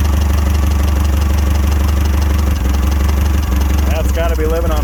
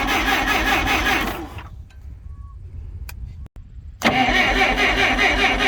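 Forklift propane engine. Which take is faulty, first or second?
second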